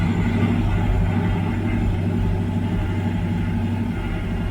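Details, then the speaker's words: 1985 Camaro IROC-Z carbureted V8, off road over 20 years, fuel and cooling just redone; steady fast even idle too high even with screw backed out, runs on after shutoff, owner suspects high idle; occasional unexplained click. "See? It runs on, but I think that's because the idle's too high."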